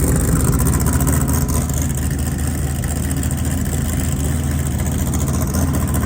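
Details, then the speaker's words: Off-road race car after the worn harmonic balancer, with its 6 belt grooves flattened, was replaced. Strong, steady engine note with no belt squeal or chirp, a clean even run. It had squeaked aggressively since purchase, and the balancer was the cause. "That's the first time this car has not squeaked. It's squeaked since the day we bought it. And it was that harmonic balancer."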